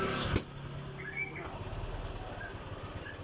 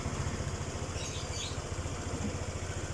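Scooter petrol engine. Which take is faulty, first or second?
first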